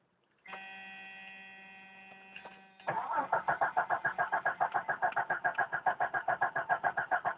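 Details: 1992 Jeep Cherokee petrol 6-cylinder, first start of day, about 24-26°C: brief steady hum, then even cranking about three and a half turns a second, never fires; hard starting, cranks but won't start.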